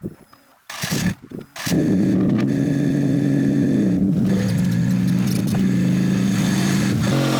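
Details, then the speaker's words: Drift car driving home on the road in second gear: a steady drivetrain drone with a harsh, gnarly transmission noise riding over it, from a blown-up second gear in the gearbox. "We'll get home, we'll go through the process of getting this car unloaded, and you guys can hear the gnarly trans noise from second gear being absolutely blown up."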